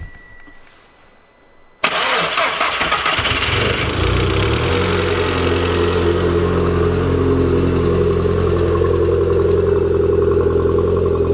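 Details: Turbo 1.8 20v petrol engine started with the exhaust line refitted: catches at once and settles to an even idle with a smooth exhaust note, a faint light tick and no misses; the tick and slight fluctuations are considered normal.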